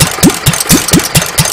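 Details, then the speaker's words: Petter A1 stationary engine, adjustable jet screwed in then opened 1.5 to 2 turns, no exhaust fitted: loud unmuffled cracking bangs about four a second; exhaust back pressure would often even out the running. "remember this is a bit noisy as well because it's not got an exhaust on it when you put an exhaust St the back pressure from the exhaust will very often even out the running a bit"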